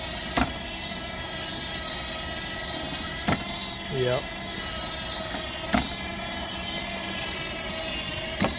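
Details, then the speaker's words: Dolphin S300i pool cleaner that shuts off right after starting: quiet motor hum with a sharp snap every two to three seconds as the drive track skips a tooth on its cog; owner suspects worn tracks or a faulty belt. "i wonder if these tracks are just worn i think you can get the tracks they might be skipping a tooth"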